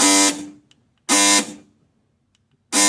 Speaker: So every time power goes to it, the mechanism inside, it looks like one of the gears broken, or a couple of the teeth are missing, so it spins on its own, as you can see.